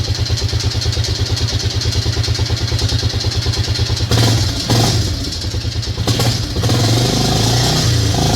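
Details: Yamaha Grizzly 600 ATV after carb work; the engine had previously been apart: a single cylinder idling with a loose, uneven clatter over the firing beat, then revving in bursts with the rattle carrying through. Abnormal engine noise, source unclear.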